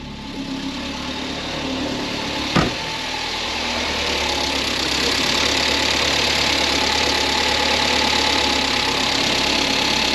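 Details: 1982 Toyota Corolla KE70 wagon at a steady, even idle with a light hiss and a brief early click. It runs after the original alternator and separate regulator were replaced by an RX-7 FC alternator with built-in regulator; battery reads about 14.5 V. Normal idle.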